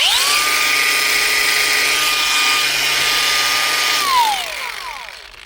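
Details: Bosch cordless grinder after a paper-shim fix for an internal motor rub that was starting to burn it up: steady high whine at even pitch, then a smooth wind-down, with no rubbing or scraping; normal running.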